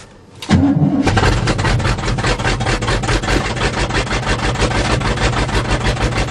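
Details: 1977 GMC truck, 400 V8, carbureted, cold weather, after choke pull-off rod adjustment: short crank catches quickly into a strong, fast cold idle with an even V8 burble holding steady; normal cold start.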